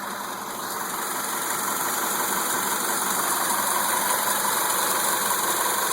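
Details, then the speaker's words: 2002 Mitsubishi Lancer with 152,000 miles after fixing its bad idle and no-start: steady, even idle with a smooth hum and no misses, knocks or hunting, like when new. Normal idle. "And the car actually sounds really, really, really good. Um, like it did when I first bought it."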